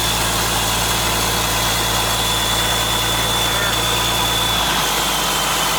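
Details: International 7100 with DT466 diesel, first start after in-frame overhaul (fresh head, liners, pistons, bearings, radiator), after bleeding injector lines: steady, even diesel clatter with a firm low rumble at idle, no knocks or misses. Healthy, settles cleanly.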